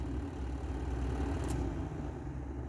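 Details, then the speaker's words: Triumph TR6 heater blower motor bench-tested off the car on a battery, low speed via added spade connector (unit had a ground issue): steady even low hum, no scraping, ticking or rattle; motor runs fine at low speed. "I'll put the positive power and see if you hear it here you can hear it running"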